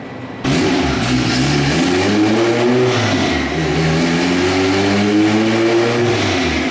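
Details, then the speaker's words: Turbo Honda Civic on a dyno on wastegate boost after a new thermostat: clean, strong rev climbing smoothly to an 8700 rpm scream under full throttle, about 350 wheel hp, runs repeatable; healthy pull. "three-fifty wheel on wastegate guys 8700 RPM it's kind of overlaying what it's doing every pass which is good"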